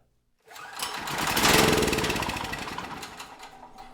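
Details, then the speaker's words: Generac GP5500 generator, neglected non-running unit, fuel fed straight into the cylinder: starts first pull and runs a few seconds with even firing, no knock or miss, lighting a test lamp before fading out; normal running. "Uh for the brief second it ran, it sounded healthy."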